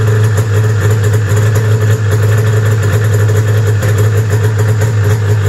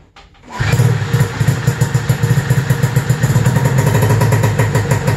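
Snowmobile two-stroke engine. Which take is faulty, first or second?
first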